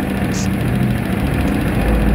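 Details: Nearly new Honda Click 125 V3 scooter, only about 300 km, idles with a loud, fast, even clatter from the top end: excessive valve clearance (spec 0.10 mm intake, 0.24 mm exhaust).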